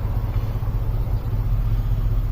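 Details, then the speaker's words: GM engine just after throttle body idle relearn with carb cleaner in intake: low, slightly uneven idle rumble with wandering beat; rough running expected from the cleaner and to clear soon. "I expect it to run a little bit rough when I run it. It should clear up pretty soon."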